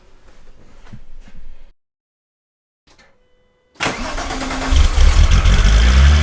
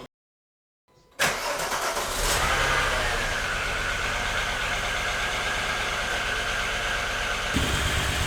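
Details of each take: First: VW Golf Mk3 VR6 Syncro after its fuel injectors were cleaned on a homemade test bench (cylinder 4 injector suspected stuck before): cranks, catches and flares, settling into an even idle that sits a little high; running noticeably better than before. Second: VW Golf Mk3 VR6 Syncro before repair: catches and settles into an uneven, stumbling, lumpy idle; steady misfire, one cylinder likely dead, owner suspects a stuck fuel injector, probably cylinder 4.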